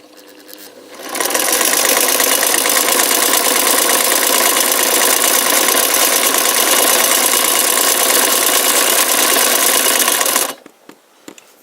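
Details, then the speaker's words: KDAZ 10/620-style transverse vibrating shuttle sewing machine, motor redone after original blew, test run: rapid even mechanical chatter about four beats per second, heavy guttural rather than tinny, no clunks; runs smoothly, bit noisy. "it's got a bit of a heavy guttural sound about it it hasn't got the tinny sound but being a vibrating or a transverse style shuttle possibly is a bit more movement"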